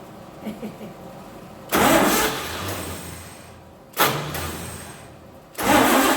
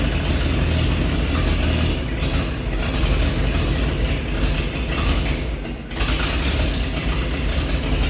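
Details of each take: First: 1948 Chevy truck engine, not run for 30 years, diesel fuel in the oil pan, gasoline primed: repeated cranking bursts that fade without catching; no spark, cheap points burned from 12 volts. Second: 1948 Chevy truck engine, not run for 30 years, diesel fuel in the oil pan, new coil fitted: low steady chugging idle with one brief dip; running good, slight steam from thermostat housing.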